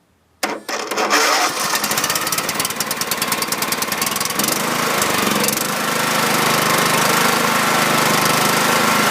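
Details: 2006/2007 John Deere L110 with Kohler Command 17.5 hp, sat two years, new battery, stale gas drained, overfilled oil reduced: quick crank, fires right up into a steady even putter with no misses or knocks. Normal running.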